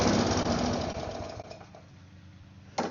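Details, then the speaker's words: Neglected mower; small single-cylinder at high idle chugs unevenly, stumbling and fading in speed, running very rough after low idle wasn't enough to keep it going. "Very rough. That was on high idle. Low idle wasn't enough."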